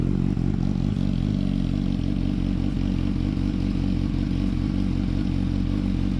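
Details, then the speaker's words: 2007–2008 Yamaha R1 cold start and idle after the loose slipper clutch was shimmed and its retaining springs welded. Steady, low, even beat with no clutch chatter or rattle. Normal idle and revs. "We'll start her up, and you can hear that there isn't a chatter. The old cold start."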